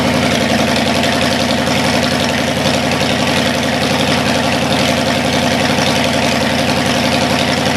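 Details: Cadillac 390 V8 run after 8 years sitting, cold and not yet tinkered with: steady, smooth lumpy idle, a touch fast, clean with no knocks or misses. Water pump leaking. Normal cold idle, slightly high.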